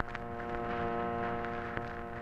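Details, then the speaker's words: 1951 Chrysler car radio, dead-radio check with ignition at accessory/on and volume up in a quiet spot: steady, even vibrator hum with no dropouts, showing the vibrator power supply works; trouble is not in the vibrator or A lead. "hum. Hear that? The vibrator's working okay."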